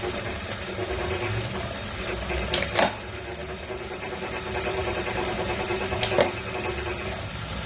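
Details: New Wahoo Kickr V5 smart trainer, a replacement for a Kickr Core that clanked: a steady mechanical whir with a rough, gritty grinding edge the whole time it spins; source not found.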